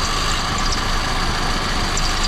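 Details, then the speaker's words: 1971 Chevy Vega, back running after 23 years, idling in neutral during clutch and transmission work: even idle with a constant thin high squeal; belt still squeaking, owner unsure whether belt or alternator bearings. "See, our belt's still squeaking. Of course, it might be the alternator too. It could be the bearings in the alternator."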